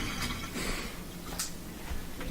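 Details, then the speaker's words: Whirlpool washing machine set to spin: light irregular clicks roughly every half second with no spin or agitation; broken motor coupler not driving the transmission. "a clicking sound with no spin this is due to a broken motor couple so pretty easy to replace it"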